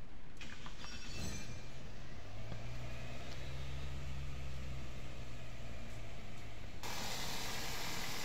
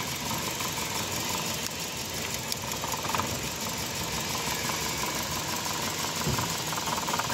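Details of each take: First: Car engine overhauled for missing and no pickup, first start after the rebuild: a steady hum settling into an even, slightly fast idle, to be corrected by tuning, with no misfire or knock; normal high idle. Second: Car engine with no pickup and a missing complaint, before coil and injector checks and overhaul: runs rough and uneven, beat stumbling rather than steady, struggling as it is revved; misfire.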